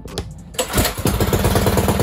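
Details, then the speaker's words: Predator 224cc Max Performance engine in an RT200 minibike, flat-top piston, billet rod, running about E50 (E85/93 mix): engine catches right away and settles into an even, steady single-cylinder idle; normal start, starts first pull every time. "I gotta turn on anyways because we got it running on E uh like an E85 with a 93 mix we're running like e50 but still like the motor turns right on no problem like but"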